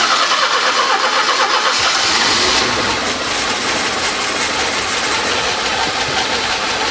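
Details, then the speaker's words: 1984 Porsche 944 left sitting in a field for years: starter cranks at a steady beat just under three pulses a second, but the engine never catches; crank, no start. "still not takeing yo it's going right here all the way over here"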